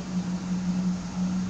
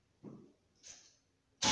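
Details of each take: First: 1972 Pontiac Firebird Trans Am V8 after cooling air pocket cleared: deep, even burble with steady pulse, no knocks or misses; owner thinks idle is still a little low and might raise it. Normal idle. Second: 1972 Pontiac Firebird Trans Am V8, muffler blown apart after engine loaded up with gas, cold, no choke: after a pause fires into loud, raw unmuffled roar with choppy lope; blown muffler.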